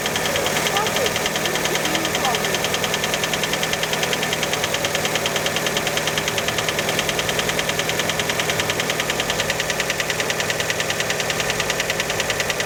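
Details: Cold idle just after start on a Fiat Panda: sharp, regular metallic knocking about three per second, riding on engine speed; cold-start engine knock, cause unconfirmed, many suspect piston skirt (piston slap).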